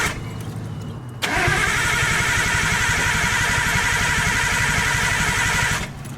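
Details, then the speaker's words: Nissan R32 Skyline, starter spinning engine steadily about four beats a second for over four seconds without catching, after water-contaminated 93-octane fuel; tank drained and refilled; owner suspects fuel pump failure as priming not heard; crank no start. "Right now I'm not hearing it, so that could mean my fuel pump is no longer working."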